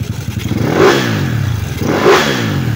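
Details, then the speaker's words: Yamaha Cygnus 170cc after the 4V head (59) reset. Two clean revs rise and fall with no ticking or knocking from the top end; the valvetrain is now quiet, unlike before. "Yan, walang katukod-tukod. Walang kakatok-katok. Napakabait."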